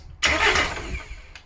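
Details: VW LT35 diesel van laid up four years, new starter fitted, oil filter leak just fixed: a short burst of starter cranking that dies away without catching; crank, no start, air in the fuel system.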